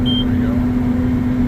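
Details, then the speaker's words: Combine harvester with corn head on, chopper in high speed: single short high monitor beep over steady low cab hum, warning of chopper speed problem and cleaning fan stuck on high speed, not adjustable; owner suspects a plug or fault code. "I'm aware I'm aware it's okay the chopper speed problem cleaning fans on real high speed can we adjust it"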